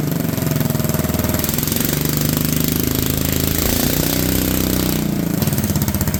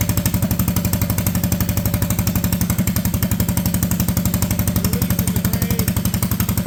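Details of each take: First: Honda Odyssey go-kart with a cheap used single-cylinder engine, supposedly first start in years, idling: rapid, choppy, uneven chugging that sags as it loads up; the belt is a little too wide, so the clutch engages at idle. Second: Junkyard Honda Odyssey go-kart with a cheap replacement engine and new clutches, park brake set: even single-cylinder chuffing at idle, roughly four firm beats a second with no misses or hunting; a healthy, steady idle.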